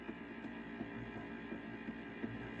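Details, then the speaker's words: 1978 Fisher Price record player, thrift-store find: low steady hum with soft throb about three times a second during playback; amplifier hum, cause not yet found; turntable had earlier run slow. "I want to see why why it's humming"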